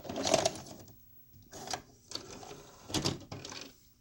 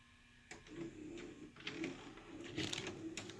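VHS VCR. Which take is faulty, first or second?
first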